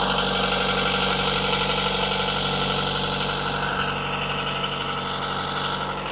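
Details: Diesel engine, unrun for a while, in forward gear, revved up to 1500 rpm while warming: steady, even drone with no misses or knocks. Normal running.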